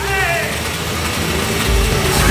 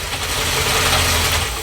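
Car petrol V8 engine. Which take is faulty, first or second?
first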